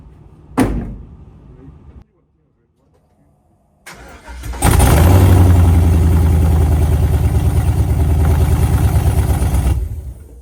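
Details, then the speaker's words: LS-swapped 1972 Chevy Nova on the ground, run only about 10 seconds as no oil pressure gauge yet: click, pause, cranks, catches and settles into strong, even lopey V8 idle, no knocks. "It runs, brother. Let's go. Let's go. We [ __ ] got it."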